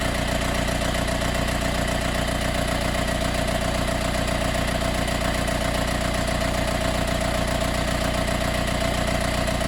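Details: Mercedes B180 CDI W245 diesel, warm restart 15–45 min after a ~15 min drive: steady fine metallic rattle over even idle, starting ~30 s after start like an extra fan turning on, fading after 1–2 min driving.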